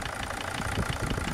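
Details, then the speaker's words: Mercedes Sprinter diesel: deep uneven knocking thuds over a rough idle; unplugging injector two stops the smacking but knock returns, replacing injector two changed nothing; suspected compression problem in cylinder two, not confirmed. "pretty clearly we've got a compression problem in cylinder number two"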